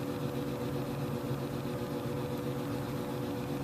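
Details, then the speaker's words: 1967 Ampeg Reverbojet II tube guitar amp after cleaning controls and connections: switched on, nothing played, only faint low hum and soft hiss, no crackle; tone and reverb knobs silent, earlier noise gone. "tone knob is dead silent from top to bottom reverb I can turn it all the way up and it don't make no noise"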